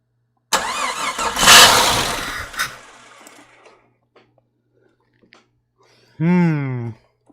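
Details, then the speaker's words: Jeep XJ 4.0 rebuilt engine first start attempt: starter spins the engine with a rising whir then dies away, later another short whining crank, no steady running; possible knocking heard, owner suspects fuel not reaching yet. Crank, no start. "That sounds... What did I hear? Well, it sounded like I heard something knocking, but at least we got the starter going. So for some reason it's not activating though. That could be fuel, still not there."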